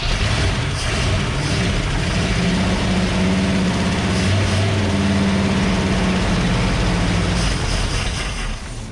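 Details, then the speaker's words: 1960 Cadillac Sedan DeVille 390 V8, first start after years sitting: strong, steady roar on throttle with an even rapid firing beat and no misses; runs well though the carburetor float is stuck down, pumping fuel everywhere. "so that float is clearly stuck down but that thing runs good"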